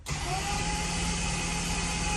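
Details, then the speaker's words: Engine cranked on the starter with spark plugs removed after methanol was sprayed into the cylinders, oil pressure rising: smooth, steady whir with no compression pulses; starter now engages cleanly after repair. "you can see the oil pressure Rising how crazy the sound when it's got no compression and it's just turning"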